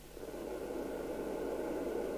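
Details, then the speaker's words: Maxcom 30E UK FM CB radio (27/81 MHz) with intermittent deaf receive, under repair: after a 3.5 W transmit the hiss creeps back over about a second; slow receive recovery after transmit. "It's slowly returning to receive."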